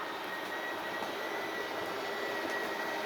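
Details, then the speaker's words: RV slide-out retracting with retract button held in one fluid motion, RV level and engine off: steady, even motor whine at one pitch, no grinding or clicking; normal operation. "Again, we want to do this in one fluid motion. And when it reaches the end of its travel, the motors will load up, let off the switch, and it'll park itself."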